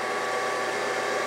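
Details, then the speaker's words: Brown & Sharpe 618 Micro Master surface grinder after topping up hydraulic oil, run 3–5 minutes to circulate: steady, even pump hum, no surging, chatter or knocking; air in the system was the cause, table hydraulics normal. "that is working like it should. I fully expected that to do nothing to the hydraulic."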